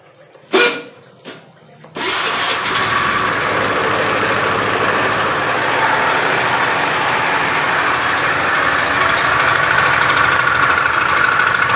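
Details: Beat FI scooter with a rough starter: the engine catches after a couple of cranks, then idles with a coarse, rattly klotok-klotok clatter over the exhaust note. The mechanic attributes it to a worn, damaged connecting rod.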